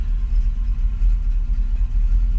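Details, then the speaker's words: 1979 Chevrolet Corvette C3 L82 V8 idling after start to circulate oil, not revved: deep loping uneven idle pulse from the cam; normal idle with lumpy cam. "i can't tell you how awesome it feels sitting in here with listening to that cam"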